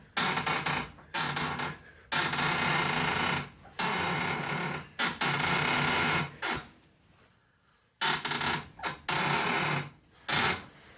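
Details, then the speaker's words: 2006 Honda Accord 2.4L front driver's side suspension making loud harsh creaking groans in bursts as the wheel turns; a mechanic traced it to worn upper control arm bushings, not the lower ball joint; fixed by replacing the upper control arm. "so pretty annoying uh pretty annoying to everybody that's around me that can hear it so uh once again just a recap the my trusted mechanic has uh said that yeah it's the bushings on the upper control arm not the lower ball joint"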